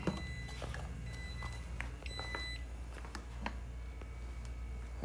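Brief high electronic beeps over a low hum as the console wakes, a clean, ordinary startup with nothing amiss.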